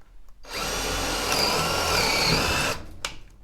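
Steady high-pitched motor whir held evenly for about two seconds, then spinning down; drill running smoothly under load.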